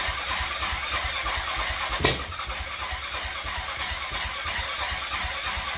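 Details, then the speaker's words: Grizzly 660 ATV, crank no-start despite spark and a cleaned carb with a clogged idle valve cleared, no airbox, maybe slightly flooded, battery weakening: steady cranking without catching, then one sharp loud backfire bang; cause unknown. "you see what I mean by a backfire is really bad I'm really not sure why that is"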